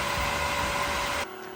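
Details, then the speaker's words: Newly installed variable-speed, self-priming pool pump motor (replacement) on its low setting: a smooth, steady hum with a faint even whine, no rattle or surging, and no leaks. Normal operation. "All right, listen to that motor purr. Right now it's on a low setting."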